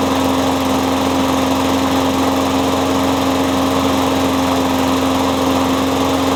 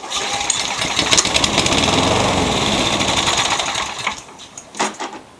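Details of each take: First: Curb-found Husky mower with a Briggs & Stratton Quattro engine, fitted with a new diaphragm and spark plug, a used muffler and a scavenged cable: a steady, even petrol drone with a clean fixed tone and no misses or knocks. Running normally, needs a tune-up. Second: 1999 mower fires only on carb cleaner, races briefly with rough fast patter then sputters and dies; no primer start; big smoke cloud, milky blue gas, owner suspects 2-cycle fuel or worn rings.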